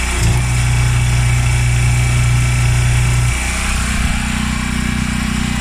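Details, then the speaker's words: Washer with a grinding noise, on diagnostic run with the hose connected: a steady low hum with a slight shift as water flows. Water comes out of both inlets, so both fill valves open normally. "we'll check for water you guys see water coming out both of them that means the valves are opening up so the valves work also"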